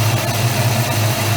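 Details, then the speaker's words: 1994 Mustang idling cold after a new Gates serpentine belt install, underdrive pulleys on alternator, water pump and crank: steady, even low rumble with no ticks, squeals or belt chirp. Normal idle. "know looks like it's running good to me I don't want to get the lanyard of the camera here in the valve I'll give it too much your engine's pretty cold right so it sounds fine to me"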